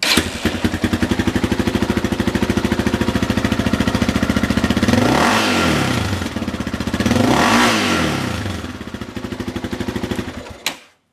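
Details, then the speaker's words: Yamaha 660 after rejetting to correct a lean condition (162 and 165 main jets, needle clips adjusted, screws 3.5 and 3 3/4 turns) and rev limiter fix: crisp, even revving through two blips, no popping or misfires, engine healthy. "No popping, no bad noises, no nothing. I think it's a good little machine."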